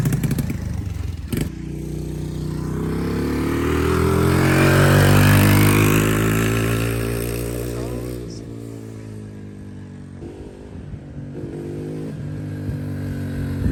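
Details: Cheap Amazon quad, small single with bigger carburetor, cold air intake and stock exhaust, ridden by a 200-pound rider; revs up cleanly, pitch climbing smoothly then easing off with no misses or knocks; normal running under load.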